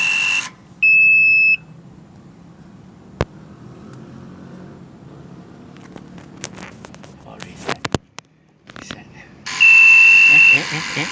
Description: Battery problem notification